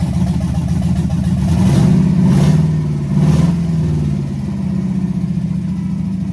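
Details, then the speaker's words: Chevrolet C10 with LS swap, open headers, first start after rewiring with makeshift relay: loud rough V8 running steadily, slight rev swell midway, even firing, no knocks or misses; heat gun confirms all cylinders firing, normal. "yes yes she's fired up see if we can get it running a little bit longer"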